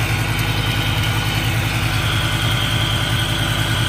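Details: Car engine idling during a brake-cleaner vacuum-leak test: steady, even idle hum at about three pulses a second, with no speed change or hiss; no air leak found, engine healthy.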